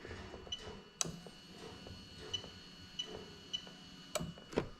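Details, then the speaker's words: Fuel pump relay on a new plug-and-play harness for a 1JZ-GTE VVT-i JZS171 engine in an Altezza RS200, switched on and off at the fuse box; sharp isolated clicks about a second apart in a quiet room, healthy relay. "i'm gonna hit the fuel pump on and off now i'm gonna move over to the fuse box so you can hear"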